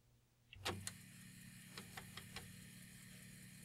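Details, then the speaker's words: Commodore 1541 disk drive, read head stuck at track 42: sharp clunk, then a few faint quick clicks over a quiet hum as the drive tries to step the head; read head stays stuck. "tries to move but it's stuck there"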